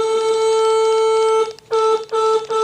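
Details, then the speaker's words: 1966 Ford Thunderbird horns after reconnecting dangling wires: a single steady horn note over three presses with no second tone; only one horn works, probably another bad ground, and the other horn may be shot. "yeah one horn's working all right what that means is we probably have another bad ground"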